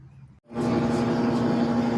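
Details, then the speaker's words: Electrolux LA15F direct-drive inverter washing machine after replacing a clutch that wasn't engaging fully and the coupling, which had caused a loud noise while washing and spinning: the drum now spins up to a smooth, even hum with no knocking or grinding. "Tá aí, ó. Máquina pronta, acoplamento trocado, trabalhando, embreagem trocada, né? E a máquina trabalhando perfeita aí."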